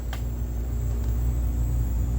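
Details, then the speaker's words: Sim2 HT300E projector just after power-on: heavy steady low rumble with faint hum, then stopping; it shows green picture then shuts down, suspected fan or noisy color wheel, not confirmed. "That's making some nasty noises. We do have a picture. Oh, the noise kind of stopped."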